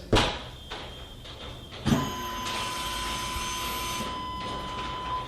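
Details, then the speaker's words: 1999 Chevy Suburban 1500, listening near the fuel tank at key-on: a clunk, then a steady high whir for about two seconds easing to a lower hum; normal in-tank fuel pump prime. "so one easy way to check would have somebody go to the back of the vehicle near the fuel tank and then have another person turn the key to the on position when you do you should hear something like"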